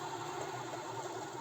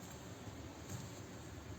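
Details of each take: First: VW Bora/Jetta 1.4 alternator removed and spun by hand, owner complained of belt squeal persisting after replacing idler pulleys. Rough, wavering gritty whir; worn alternator bearings, also a bent rotor shaft and pulley. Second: VW Bora/Jetta 1.4 alternator after repair of a bent rotor and noisy bearings, spun off the car: low, smooth, even hum with no whine, squeal or grinding; runs quietly.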